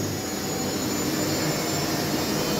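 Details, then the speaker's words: Whirlpool washing machine in service test on spin: dense rushing roar with a thin, steady high squeal from newly replaced motor brushes still bedding in; squeal considered normal and expected to disappear. "Слышен такой писк. Данный писк вызван щетками на двигателе. Они были заменены, новые. Идет притирка их."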